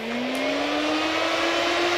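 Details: 2002 Mini Cooper S R53, replacement cooling fan fitted after the old fan's seized bearing stopped it spinning: steady whirring that rises slightly in pitch as stage two high speed engages, smooth with no rattles. The fan is healthy.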